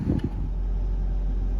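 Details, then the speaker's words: Mercedes 220CE W124 Coupe petrol engine after two replacement throttle bodies, fresh V-Power fuel and injector cleaner: idle steady but high at about 1500 rpm, smooth and no longer lumpy, misfire gone. "So you can hear she's still idling a bit high, but not lumpy anymore. Misfire's gone, so I'll just have to run him for a bit, see how it goes, and go from there."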